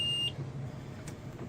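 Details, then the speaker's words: 2003 Forest River Georgetown Class A RV, 35,000 miles: the LCI hydraulic leveling jack system gives short high beeps and "all retract" errors though all four jacks are up. LCI suspects a faulty control module, and an air leak is also possible; the fault persists after dealer repairs. "you hear the beeping sound here that beeping sound and again I will prove all these jacks are up"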